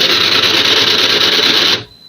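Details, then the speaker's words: HP LaserJet printer (P1566) powered on: harsh, high rattling grind runs steady then cuts off cleanly; worn or broken drive gear, motor-driven gear on the right side worn down over long use. "तो ये problem ए रहा है ऐसा sound कर रहा है और सुनाओ"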